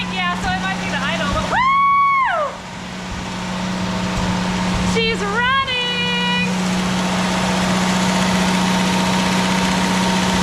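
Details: 1983 Jeep CJ7 after a new fuel pump and carburetor cleaning, first running: a steady, even low hum under shouts, idling high before being turned down. Normal idle.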